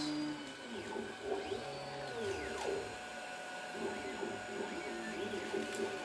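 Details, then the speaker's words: Wiper motor and wiper arm inside a Redvision X-series CCTV camera, belt-driven; small motor whirs in short rising and falling sweeps as the arm travels back and forth, smooth with no grinding; normal wiper motor operation. "this one has a nifty little wiper arm which the wiper motor is"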